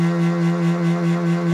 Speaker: turn it down a bit and you can hear right about there the humming pretty much disappears right in that range and I think that's what the problem was I had too much power going in and it was working against me in the end